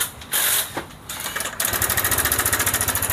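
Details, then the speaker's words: Honda PCX scooter at idle with sudden rough noise; fast, even dry clatter traced to the cam chain. The chain itself is not damaged, only the cam chain tensioner setting is off. Cam chain tensioner noise. "suara itu terdeteksi e dari rantai ketengnya tetapi bukan rantai ketengnya yang rusak cuma setelannya saja"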